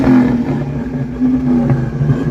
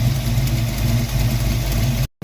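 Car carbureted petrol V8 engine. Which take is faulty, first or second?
first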